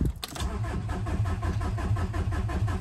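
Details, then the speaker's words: Audi A4 with an ALH 1.9 TDI diesel swap, key start without glow plugs: an even, rhythmic starter churn through compression with no catch yet. It later fired with white smoke. Extended cranking, no start. "so this is a no glow plug start so it probably crank for a bit but let's see what happens"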